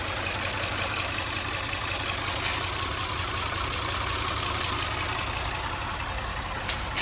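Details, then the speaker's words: Audi RS6 C7 twin-turbo V8 with misfire codes, incorrect correlation and inconsistent compression, new coil packs, no bent valves on borescope: uneven idle with loose metallic rattle; suspected broken timing chain guide on bank 2, engine removed for teardown. "because judging from the rattling coming from the engine, the misfire codes, the incorrect correlation, and the inconsistent compression test as well, we can take a pretty good guess that something catastrophic has happened on the timing train assembly on bank 2."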